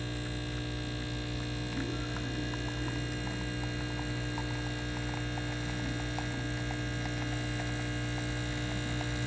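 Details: Pasquini espresso machine after leak repair, unclogging of the boiler-to-valve hot water assembly, and a tune-up with new group screen and gasket plus descale; steady low pump hum with no sputter or knocking during a shot: normal pump operation.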